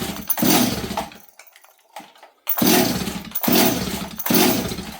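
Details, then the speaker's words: Model 026 chainsaw on choke, H jet at about 1 1/8 turns: four pull-cord bursts that turn the engine over but never catch, so it cranks without starting. Owner suspects it is badly flooded, with fuel spitting from the carb or muffler. "I don't know why this thing's not starting makes no sense to me"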